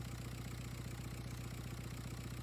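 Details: 2004 VW Jetta TDI BEW diesel, after JB Weld repair of a leaking vacuum pump nipple restored 20–25 inHg vacuum: even, steady diesel clatter at idle with regular firing pulses, no hiss or misses; normal idle.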